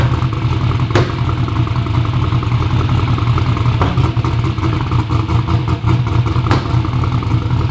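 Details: "Black Sheep" V8 race car at first fire-up runs rough and lumpy with irregular sharp pops and stumbles; misfiring and popping caused by spark plug wires on backwards. Crank trigger was suspected first.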